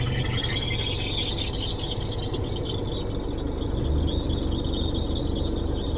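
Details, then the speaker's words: LS1-swapped S13 drifting at QLD Raceway on sticky larger rear tyres: a constant shrill screech rides above the engine drone, like a belt about to snap; a slipping belt is suspected, not confirmed. "yeah i don't know if you can hear that but massive screeching noise sound like a belt about to snap"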